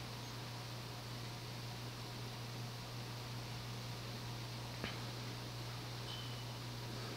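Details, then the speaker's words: Early-1980s CEC-built Progress Lighting Apollo 38" ceiling fan, 52"-spec cast iron motor de-rated by a lower capacitor, on solid-state speed control near medium: steady soft airflow over constant low hum, 60-cycle buzz barely audible, no ticking or rubbing; normal running. "You can barely hear the buzz from it, or the 60 cycle hum. You can kind of hear it up close, but it's really not that audible."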